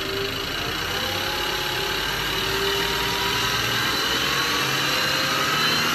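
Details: Ford FG Falcon engine at warm idle: light, quick, regular tick about four per second over the hum, lifter-like but seeming to come from lower than the valve train; it only appears once the engine is hot.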